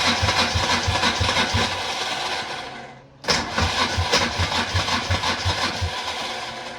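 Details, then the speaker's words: 1994 Polaris two-stroke 4x4 quad pulled from the bush after years sitting: starter churns the engine at about three beats a second, pauses, cranks again in neutral but never catches; cranks, no start. "nothing and that's not surprising so uh next step I think is to take the Piston out uh piston take the spark plug out oh it is"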